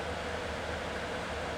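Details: B&Q 7-litre digital air cooler after repair, running in a 28° workshop: steady, even airy fan whoosh with no rattle, scrape or wobble. The fan is running normally.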